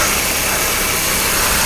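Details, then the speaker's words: Engine idling evenly with a smooth airy rush after a popped-off vacuum line to the interior heating controls was refitted; the sharp hiss is gone, only faint intake noise remains: normal idle after fixing the vacuum leak. "I took care of the hisson I still hear a little more hison but I don't think that's probably just the intake suck it in the air"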